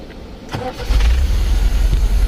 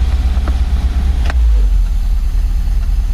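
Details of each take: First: MGB with freshly rebuilt carburetors, in neutral: brief crank then fires right up into a steady even idle, loud intake hiss because no air filters are fitted; mixture adjusted, running great. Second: MGB 1.8 engine after carburetor rebuild, as owner tries to take choke off; deep uneven idle that lumps and hunts instead of settling; rough idle.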